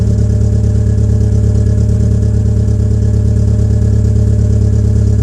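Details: Peugeot 807 SR 2.0 2004, EW10J4 RFN engine, cold start with rear silencer removed: low steady drone with a slight pulsing shake, a very rough cold idle that owner attributes to tight valve lifters.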